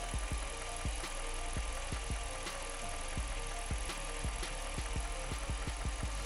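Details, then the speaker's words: 2006 Jeep Commander 5.7 Hemi after lifter replacement for lifter tick, idling: steady low idle with only light quick injector tick, no shaking, rough idle or misfires, check engine light off; normal idle. "it's not shaking it's not idling rug there's no misfires the check engine light is off"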